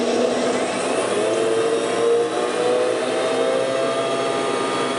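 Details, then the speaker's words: South Bend drill press running on highest speed: steady motor hum with faint intermittent squeal, noisier than before; worn pulley or spindle bearing suspected, bearings to be replaced. "It's kind of faint, and it is a bit of a squealing noise. I'm not sure if the camera will pick it up, but it definitely is noisier than it used to be."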